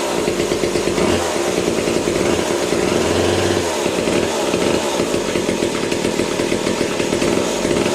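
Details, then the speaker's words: Vintage McCulloch top-handle two-stroke chainsaw (about 37 cc), new old-stock bar and chain, idle turned way down: buzzy drone with constant rasp as chain keeps spinning; owner suspects worn clutch springs. "turn the idle way down the chain was still spinning"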